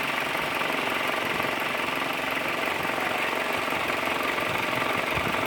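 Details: Renault Scenic radiator fan at its second stage with the air conditioning on: a steady whir with a faint beat about three per second. The fan shaft bearing is worn, letting the blades wobble.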